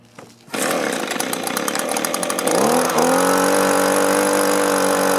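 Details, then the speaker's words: Echo two-stroke blower that starts then dies, with new aftermarket carburetor, spark plug and fuel filter: catches after pulls, stumbles unevenly, then a rising steady buzz; carburetor gummed by debris, cleaned. "we had to take it apart and we found debris in there that was gumming that up and these aftermarket carburetors uh they're a little iffy"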